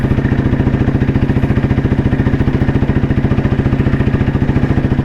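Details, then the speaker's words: 1993 Royal Enfield Bullet C-engine with crank weight, riding, mic inside the helmet so exhaust sound is muffled: even, steady low throaty thump about three and a half beats a second. Healthy, normal exhaust note. "ഇതിന്റെ exhaust not നിങ്ങൾക്ക് ചെറിയ രീതിയിൽ കേൾക്കുന്നുണ്ടാവും. Mic ഹെൽമെറ്റിന്റെ ഉള്ളിലാണ് വെച്ചത് കൊണ്ട് വലിയ രീതിയിൽ effect ആവില്ല."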